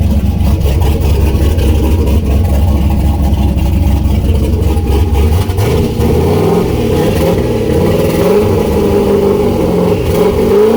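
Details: Turbo LS V8 swapped Miata on first start with the new tune and the coupler on, not yet warm, with the downpipe unfinished. Loud, lumpy, hunting low rumble that never settles. Running very rough with the tune not sorted; fuel pressure needs to come down.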